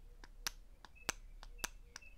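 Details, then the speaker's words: Mercedes W140 S500 transmission valve body solenoids bench-tested by applying power, for hesitation into drive and reverse: crisp single clicks as each solenoid opens and closes sharply; solenoids are good. "Yep. You can hear it open and close. So, the selenoids are good."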